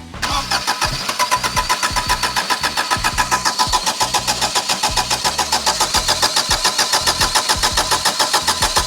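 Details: 1987 Daihatsu Charade GTTI 3-cylinder turbo, sat 10 years, cranked with spark confirmed, plugs cleaned and fuel pump relay checked: the starter cranks evenly at about 3.5 beats per second but never catches.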